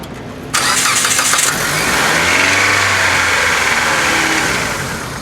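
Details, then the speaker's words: 2002 Mitsubishi Lancer after starter replacement (old starter only clicked): brisk one-second whirring crank, catches and settles into an even idle; normal cranking and start. "My gosh. All right, now that we know it works, I can button all this up."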